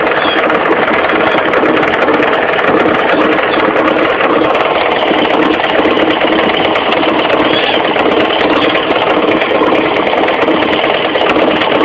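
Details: Mitsubishi 4G15 carburetted engine idling with a fast, busy clatter riding steadily over it, low at the front: a loose crankshaft pulley knocking, fixed by tightening it rather than replacing it.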